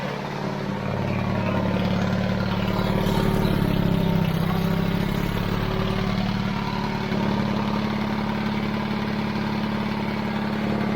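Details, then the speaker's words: 70-year-old 1950s barn-find D6 dozer diesel, started via pony motor after years sitting, with jump pack and tapping: steady, even low thrum, smooth firing beat, no knocks or misses; normal idle. "Once you got gas, the battery ain't gonna go dead. That's awesome, dude. Let's roll it. Sounds good back there."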